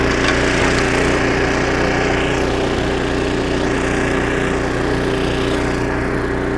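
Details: Snowblower about 25 years old, small engine after carburetor rebuild with carb kit and new needle and seat, auger chewing snow: steady even drone holding speed, no surging or misses; normal running under load after repair.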